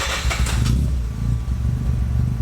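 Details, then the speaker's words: Mazda FD RX-7 rotary on the dyno after a smoke test found vacuum leaks that were then fixed; a deep even burble right after start-up, easing to a lower steady idle, a healthy idle. "So, you noticed it would have tried to idle a bit lower to begin with, and that's cuz we fixed that vacuum leak."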